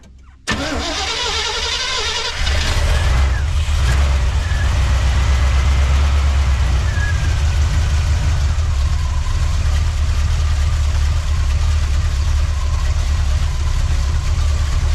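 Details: 1979 Chevy C10 after 5 years sitting, key turned while throttle worked by hand, accelerator pump working-ish: cranking whirr, catches at about two seconds, then steady low even idle burble; starts normally.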